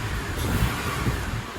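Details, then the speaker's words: Honda TSX with DC Sports header, engine revved: deep, even exhaust note with small swells, slight raspiness but no metallic rattle; vibration attributed to AC compressor cycling, header fine. "sounds smooth how smooth smooth that's what it was"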